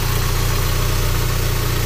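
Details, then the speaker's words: VW Golf Mk3.5 convertible with ABF 16V engine at idle: low, even hum with steady pulse and no knocks, misses or hunting; smooth, healthy idle despite the model's known idle micro-switch fault. "definitely sounds like a good one. Doesn't nice steady idle."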